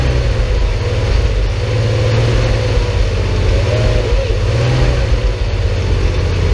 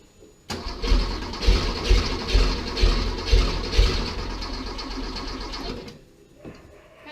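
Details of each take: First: Porsche 911 flat-six restarted after 10 years of storage, with a new fuel pump and filter, a temporary fuel supply hose fix and a cleaned tank. Deep, even, steady low rumble with no misses or knocks, surprisingly smooth and quiet; normal running. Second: Porsche 911 after 10 years of storage, with a new fuel pump and filter, a cleaned tank and a temporary fuel supply hose: it cranks for about five seconds without firing; owner suspects the fuel injection line needs bleeding.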